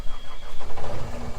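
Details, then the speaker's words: Old diesel dump truck stuck in mud: uneven, lumpy running with surging knocks, never settling, near stalling; cold stumbling, owner suspects it wasn't warmed up enough, unconfirmed. "Maybe. Or did you just not let it warm up enough? Probably didn't let it warm up enough."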